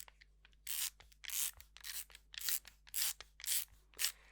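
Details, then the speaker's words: Ratiozero geared CVT prototype for a bicycle, turned by hand: bursts of light rapid clicking about twice a second from the one-way ratchet that stops the output shaft driving the input; normal freewheel operation. "this is actually a one-way ratcheting mechanism inside of these parts and what it does does is that it prevents the output shaft from acting on the input"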